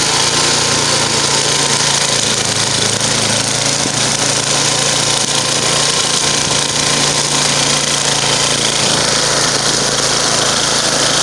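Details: Murray 10 HP 29-inch snow blower after rebuild, performance test: steady, even high-pitched engine drone with no misses or surges over eleven seconds; running smoothly.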